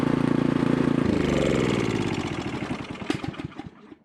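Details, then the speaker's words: Craftsman 900/22 single-stage snowblower after carburetor leak checks, started with choke and primer: even steady single-cylinder putter, no misses or surging, stops cleanly at shutoff; runs good. "all right guys so everything's running good so all we need is just some snow to test drive this guy"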